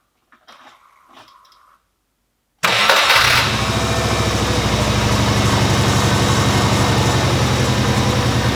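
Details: Subaru Legacy B4 RSK (BE5) twin turbo after starter replacement, battery recharged after long discharge, fuel pump relay refitted: quiet pause, quick crank and instant catch into even, steady idle; starts and idles properly.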